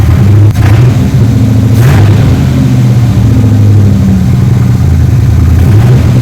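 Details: 3rd Gen Camaro Z28 carbureted V8 after replacing the plug wires and the spark plugs that caused a dead-cylinder misfire; strong, even low burble with a steady beat and no dropped pulses, now a normal idle on all eight cylinders.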